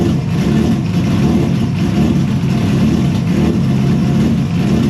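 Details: Engine first start after an intake manifold exploded on power-up and a replacement manifold was 3D-printed, a week before a tune: loud steady rumble at fast idle, firing evenly with no knock or miss; running normally.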